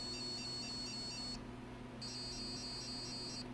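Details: ALR PowerFlex 386 computer motherboard: two long high beeps, each about a second and a half, then nothing, repeatable even with the 8042 removed and connections resoldered; fails POST from a corrosion-broken trace.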